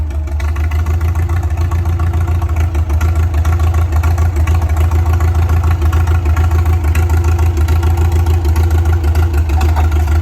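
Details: Custom 1962 Ford F600 barn find, running after sitting 30 years, with magneto ignition and an impulse coupler: a strong, even low rumble with steady firing and no knocks or misses, and revs settle quickly. It runs healthily.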